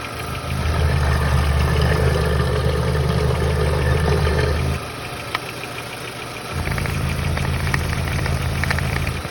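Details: VW Passat B4 engine at idle: deep, even idle with a faint tapping that drops out briefly midway; owner unsure whether it is a knock or normal, cause undetermined.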